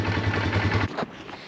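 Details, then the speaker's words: Polaris ATV after pulling the engine to replace a bad starter gear, first start after the repair: fires up first try with no starter grinding, then an even low putter for about a second with no misses. The engine runs smoothly. "But you can hear the starter sounds really good. No grinding. Fires up first try. Looks good. Sounds really good. Sounds really nice."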